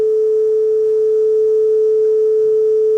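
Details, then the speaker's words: Aurex (Toshiba) PC-G8AD cassette deck playing a steady test tone with little flutter, but the pitch sits slightly low; tape speed running slightly slow. Only fast-forward engages play, other buttons including stop don't work. "so we're going a little bit slow so we'll have to address that"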